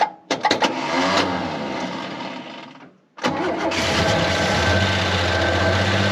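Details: CM Valiant Chrysler Hemi, first start after long storage, fuel added: cranks, catches, stalls, then fires into a lumpy uneven chug like an old tractor; rough running.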